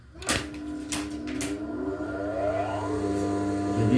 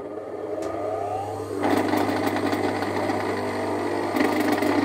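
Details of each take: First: Electric motor (dinamo): a couple of clunks, then a steady even hum with no rattle or growl, running smoothly as it should. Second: Electric motor (dinamo) running: loud droning hum with a rapid, uneven glotok rattling knock; caused by a loose fan/impeller bolt, not worn bearings; fix is tightening the bolt or packing the loose armature shaft support.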